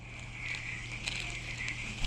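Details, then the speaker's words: Shimano Rarenium 2500FA fishing reel before bearing replacement: gritty crunchy whirr with small irregular clicks while cranking; rough, crunchy rusted bearing. "It's a bit crunchy."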